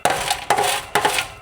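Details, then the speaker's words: Hot exhaust, with the engine stalling while driving, gives tinny metallic rattling in short bursts, like loose debris in the muffler; owner suspects a partially or badly clogged catalytic converter and a rust-filled muffler. "That's what I was listening for. Uh-huh. You hear all the rattling. Bingo. I think my suspicions may have been right."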